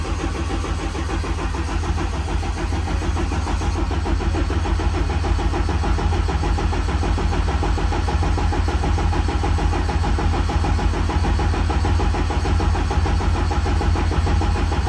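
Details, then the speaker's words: Race car after winter, on a methanol and 93 fuel mix, cranked with injectors disabled to build oil pressure: slow, even chug for about fifteen seconds with no knocks or scrapes, oil pressure coming up; sounds healthy, though the battery is weak. "All right, sounds healthy. You can hear when the oil pressure comes on."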